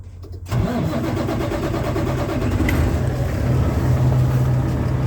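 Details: Kenworth diesel truck unused for a long time, filter/water separator suspected packed and leaking fuel: short crank, then catches and settles into a steady even low idle, no knocks or misses.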